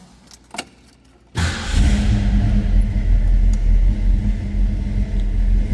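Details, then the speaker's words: 1965 Ford Mustang convertible 289 V8, rebuilt, bored slightly, mild cam: keys jingle, quick start, settles into deep even lope at idle; healthy engine. "Told you that baby had a little cam to it, and when they rebuilt it, it was bored out slightly, so it's healthy."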